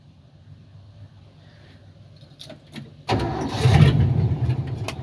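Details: 1978 Ford F-700 after starter replacement with a Duralast starter for a 1975 F-250: a few seconds of quiet cranking, then it catches abruptly into a strong, even idle; the starter works normally.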